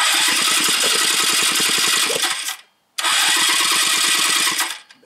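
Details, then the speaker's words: 1986 Yamaha Riva scooter with a new battery: the starter chuffs evenly at about nine a second with no catch, pauses, then cranks lazily again as the battery runs down; no spark is reaching the plug, and the owner suspects a dying battery. "sounds like it's going low. I don't have a battery charger. It was a new battery too."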